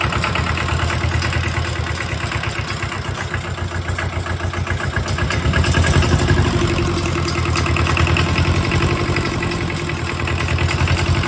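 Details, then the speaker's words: Mitsubishi D1800 II gray-market tractor diesel after cracked head replacement, valve lash at 0.015 in, part throttle with exhaust stack fitted: clatter whose beat drifts and surges, hunting. Owner unsure if governor-related; engine not yet idling. "It seemed like it was hunting for a little bit there. I don't know, maybe that was governor related or not, but I think it's going to be a while before it idles."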